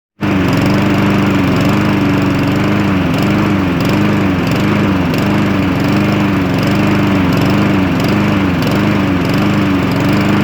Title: Cub cadet lawnmower with Honda engine. Rough idle.